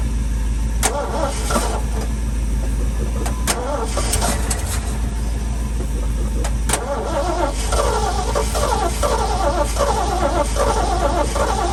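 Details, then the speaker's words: Long-stored sentimental old V8 truck: long, steady starter churn with no firing; fuel has drained far down after sitting, as it always does when stored long. "the fuel is so far down this always does this when this truck sits for a long time and then it lights up we're going to get it i i know we are let's try it again"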